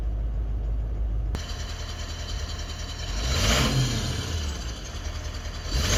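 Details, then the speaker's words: Toyota Land Cruiser 200 with 1VD-FTV diesel revving up and down with a hard, uneven knock. Injector no. 7 showed corrections of -2 and 1; disabling it stops the knock, so injector 7 is the faulty one. "Так, ну что, можно подвести итоги. В принципе, нужно разбираться с седьмой форсункой."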